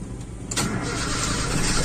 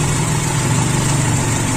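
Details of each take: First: Toyota Kijang Super 5K with original Aisan carburetor and FMT jets, fed from a jerrycan with about 2 L through an empty 2 m hose: long cranking, chugging about four times a second until the air purges. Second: Toyota Kijang Super 5K carbureted engine on an original Aisan carburetor fitted with FMT jets, float set at the line: low, even idle holding steady with no stumbles; idle now smooth, owner unsure whether an earlier blockage was cleared.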